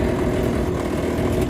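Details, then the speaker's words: Standard Zurn faucet after the valve seats were checked for debris and the water turned back on: steady low buzzing chatter from the cold side as water leaks past a worn cartridge with vertical play. "Right away you can hear that vibration. It's coming from the cold water side, and it's from this having some water leak past it."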